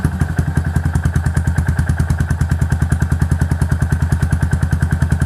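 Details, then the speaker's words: Yamaha SR400 after replacing worn, noisy valve rocker arms: even, steady idle thump about ten beats a second with no tapping or clatter; very quiet, healthy top end. "ผมบอกว่าผมบอกเลยว่าคันนี้เงียบสุดเลยนะครับผมดูครับเดินเปานี่นิ่งกิ๊กเลยอ่"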